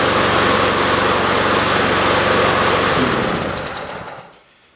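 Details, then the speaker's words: Yard-sale Weed Eater (MTD) push mower on old fuel after gummy buildup trouble: brisk, even beat about four per second, then shut off and winding down; runs normally. "i think i'm going to put this outside and i'm going to let it run for a while they ran really good"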